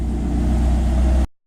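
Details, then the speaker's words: Non-VTEC B20 on Huntertuned decapped E85 injectors (about 1000cc), idle control turned completely off in Hondata, unlike the previous injectors: steady low, even idle with no hunting or surging; smooth as butter. "my Iook is completely off like and it's not surging or anything there's other injectors I had to have it in normal a old Idol somewhat decent [ __ ] off any higher than now to start getting choppy but it's completely often it's smooth like butter hell yeah"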